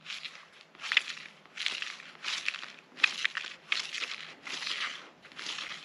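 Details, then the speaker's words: Fafnir 309 WDD bearing just pressed out of the final drive bull gear of a 1939 Caterpillar D4 crawler, spun by hand: dry gritty crunching rasp with each spin, debris inside, rough bearing being replaced. "There's something in there. Something that doesn't sound good, so I'm glad I got it out of there."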